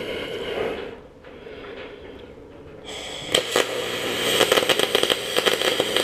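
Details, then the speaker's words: MIG wire welding of quarter-inch aluminium tubing with the welder set for 3/8: an uneven, sputtering arc with sharp pops and cracks, the bead jumping around from oxidation and contamination on unclean aluminium. "as you seen the the splatter or the the beet itself it was jumping to cracking around and all that is is was oxidation and con"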